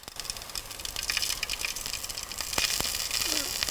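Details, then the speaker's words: 2014 Jeep Grand Cherokee overheat check, oil sizzle test demo with coolant deliberately added to oil: sharp crackling, spitting pops as heated oil sizzles, showing moisture; the Jeep's own oil tested negative. "See how it sizzles like that, indicating moisture in there?"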